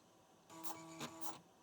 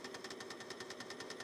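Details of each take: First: Fujitsu M2551A 360k floppy drive at computer boot: short buzzing seek under a second with a few quick stepping bursts, then quiet; heads return to track zero normally. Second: Fujitsu M2551A 360k floppy drive spinning during repair with scope probes attached: rapid mechanical clicking, about ten sharp ticks a second over faint motor hum; owner suspects cables brushing against the mechanism.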